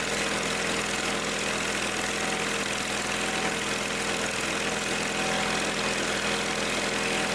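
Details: Old Simplicity tractor engine after the no-start repair and tightening a leaky fitting where Teflon tape had got inside: steady, unbroken idle hum with a faint even drone, no stumbling or surging.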